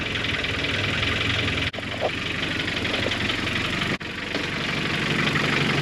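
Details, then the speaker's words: Boosted G23BK engine at first start after the build idles unevenly with a loose, lumpy beat and two sharp momentary dropouts before starting to stabilize. The builder suspects air in the system; not confirmed. "God the idle is a little bit rough I think it's because of maybe there's uh again uh air in the system maybe but uh"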